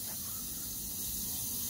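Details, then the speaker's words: Oilless low-noise air compressor, motor off: faint steady hiss of air escaping at the aluminium-alloy coupler fitting, cracked from overtightening while replacing the coupler; switch assembly needs replacing. "Is it damaged? Air is leaking from this part now"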